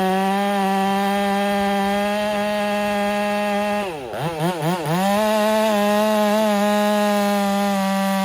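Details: Ported Husqvarna 385 chainsaw during break-in, tune left slightly rich with a little top-end burble, cutting very hard oak: high steady scream dips briefly as the chain bites, then pulls back to speed; normal under load.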